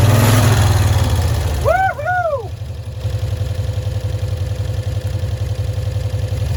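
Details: 1965 Cushman Truckster small twin, sitting one year, after freeing a stuck valve, air filter cover off: steady, even putt-putt idle of about four beats a second with no stumbling; running normally now.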